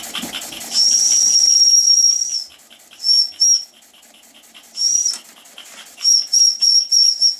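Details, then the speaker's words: Unmarked antique toy steam engine bought at a garage sale, at pressure of about five psi maximum, with exhaust coming out of the chimney. Quick soft chuffs at about three a second run under short, high, shrill toots of the whistle; the engine runs smoothly. "toot the whistle Gordon it is high and shrill and cursing even I can hear that with my bad ears games are running pretty smoothly"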